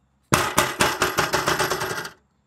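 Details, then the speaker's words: 2021 Tesla Model 3 aero wheel cover clips, loose with worn-out springs that let them rotate, rattling over bumps; quick bursts of bright plastic rattling, about nine in two seconds. "we can see these clips over here that are all pretty loose and still pretty noisy listen to this they can still rotate a little bit because it seems like these Springs have just kind of given up"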